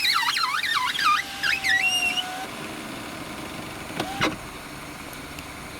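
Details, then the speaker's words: 2013 Citroen C4 power window: high, wavering squeaks over a steady motor hum as the glass moves; squeak fixed by wiping the deeper inner door rubber seal with a damp wipe. "друзья всем привет сегодня мы на примере citroen c4 2013 года покажем как устранить скрип стекла сейчас вы услышать этот звук"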